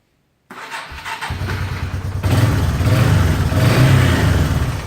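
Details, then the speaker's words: Yamaha Bear Tracker 250 ATV after carburetor rebuild and new intake manifold boot, test start: cranks briefly, catches cleanly into an even single-cylinder thump and revs freely; normal start and rev, though a slight tick noted. "Works great."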